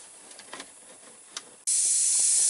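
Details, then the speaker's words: Big truck dashboard air leak located behind a panel: sudden loud continuous hiss from the air line on the cylinder operating a dash vent, loudest through the air vent. "I'm going to probe around behind this panel and find that leak I can hear it and I'd already tried the hose and it was a little bit louder right here through this air vent"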